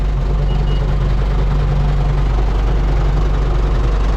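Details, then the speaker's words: Cat 924F wheel loader, heavy diesel just started after a jump-start attempt, cold idle: steady low drone with a faint constant whine riding over it, owner unsure of the noise but suspects the old hydraulic pump; left to warm up. "That's a surprise. I'm not sure what that noise is. Old hydraulic pump."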